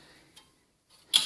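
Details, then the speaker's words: Front bicycle wheel with aero spokes touching where they cross: sharp, dry creaking ticks in bursts under hard braking, from the crossed spokes rubbing. It is also worse when climbing. "d stiffer connection but that um they produce some some creaking creaking annoying noises when you're you can hear on some spokes it can be even more uh dramatic when you're when you are uh climbing"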